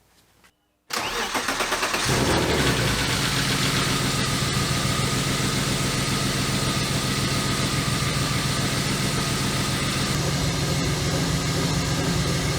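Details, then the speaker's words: BMW E36 325i inline-six after camshaft position sensor replacement, restarted for a cylinder one misfire first blamed on the coil pack: cranks, catches and settles into a lumpy, stumbling idle with smoke and a burnt-fuel smell; misfire not fixed, cause still unknown. "it does not i don't know if you can see the smoke"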